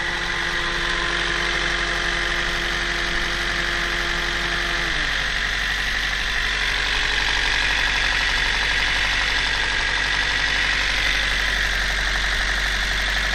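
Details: Toyota 1ZZ-FE engine at steady idle with a light, regular knocking tap about four times a second over the hum. Internal engine knock, source unclear.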